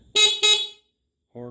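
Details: Kawasaki KZ650 cafe racer build after the electrics were rewired: two short, loud horn blasts with a clear steady tone; the horn sounds strong and works normally.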